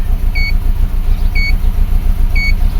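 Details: 2004 Subaru Forester EJ20 turbo, at idle with turbo timer running, no check engine light, low power when cold: rough lumpy idle with uneven thump about 3.5 times a second and beeps; cylinder misfire, cause being diagnosed.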